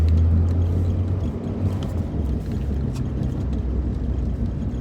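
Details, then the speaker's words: Audi A4 B5 driving after sitting three months, clutch line replaced: low steady droning hum under the cabin attributed to a worn wheel bearing. "mind that noise. That's just the wheel bearing."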